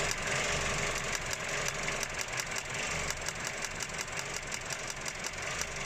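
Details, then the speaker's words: 2013 Vauxhall Corsa 1.3 petrol at idle: uneven running with sharp irregular pops about three a second and the engine shaking, a loud misfire in one cylinder. "You can hear the noise coming from these cylinders. So if you took the cover off, you can hear it properly, but it's loud noise, misfiring."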